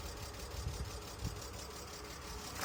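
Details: 2002 BMW E46 320 after standing for a year: uneven, lumpy idle with coarse clatter and irregular low thumps, sounding like a tractor; cause unknown.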